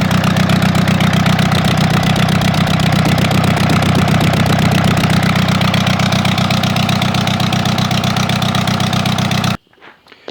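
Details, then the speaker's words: AGCO Allis 5680 diesel tractor idling loud with a lumpy, uneven beat, one cylinder dropping out; cylinder 1 misfire at idle; owner suspects head gasket or bad rings. "I think we've got a head gasket problem or some bad Rings or something show you what we got going on be awful loud with the uh engine running here but I'll show you real quick"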